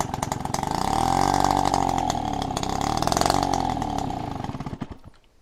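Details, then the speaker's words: Peugeot 103 RCX two-stroke moped first start after a rebuild, choke pulled manually by cable because the carburetor needle was stuck and fuel wasn't reaching it; buzzy engine catches and revs evenly on choke, then sags and dies. Normal running on choke. "I got a cable. I'm gonna pull choke manually. See if we can fire it up. Carbs are a tricky thing. So this should work. And it fired."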